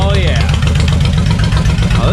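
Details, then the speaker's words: Suzuki Intruder VL 1500, sat for years, after carb cleaning and decompression valve check, no choke at 80°F: very loud, deep, lumpy V-twin idle with steady beat and no misfire gaps; both cylinders firing, running well. "this bike is stupid loud oh man she's ready to rip chip"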